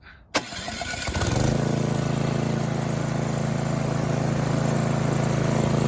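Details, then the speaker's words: Snowblower small engine on electric start with choke on: starter cranks briefly, then the engine catches and settles into a steady low putter, but it runs only on full choke; clogged carburetor emulsion tube, full carb clean needed. "Looks like the carburetor is going to have to come off. We're going to have to do a full clean, not just a jelly in it, because anything other than full choke, it won't run."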